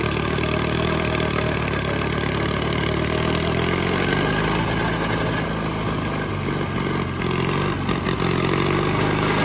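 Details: $500 Caterpillar dozer diesel, parked since 1992, running for the first time after a stubborn start in which the starter's Bendix gear kicked out. A low, even chug holding a steady idle without misses or knocks; it runs pretty good.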